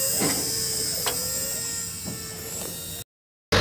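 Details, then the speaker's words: Komatsu PC500LC-10 excavator at 1000-hour service, engine off: electric fuel priming pump activated from the monitor panel, priming the filters before start, gives a steady high whir with faint clicks; normal priming. "Ini yang saat priming diaktifkan di monitor panel ya. Kedengeran kan suaranya? Lagi proses priming."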